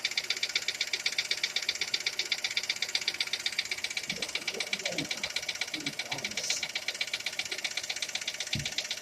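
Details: Skoda Fabia at idle: steady, crisp metallic ticking about two and a half beats a second over a quiet idle; engine knock, cause still being sought.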